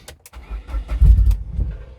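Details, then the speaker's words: Abandoned Mk2 Ford Mondeo Estate, fuel squirted into the intake: cranking, then a few uneven rumbling catches for about a second that fade out; electronics and engine basically sound, old petrol suspected as the cause. "so basically that means the you know the electronics are working and the engines basically sound and the reason it won't keep firing is because the petrol is very likely useless inside the car"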